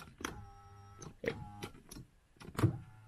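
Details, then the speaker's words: Power seat on a cheap Copart Infiniti V8: short bursts of small electric motor whine; the motor runs but the seat won't move forward or back, and the owner suspects a stripped gear with the motor spinning freely. "it's got power everything but the motor is working to move the seat front forward and backwards but it ain't going anywhere"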